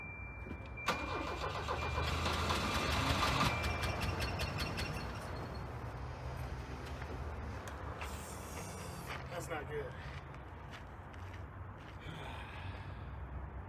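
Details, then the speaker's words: Sight-unseen auction Volvo 240 on its first start: the starter cranks, then the engine stumbles along with a loping, irregular beat. The owner thinks it's not running on all cylinders, maybe only one firing, and plans to check the spark plugs and the cap and rotor for corrosion. "So what it looks like, well, at least what it sounds like, it's not running on all cylinders. It only sounds like one cylinder is firing."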